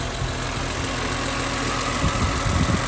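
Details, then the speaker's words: BMW E46 M3, possibly K&N filter (unconfirmed): steady, even, quiet idle with low burble settling after a rev, no knocks or rattles; normal healthy idle. "Listen how quiet that is. Wow."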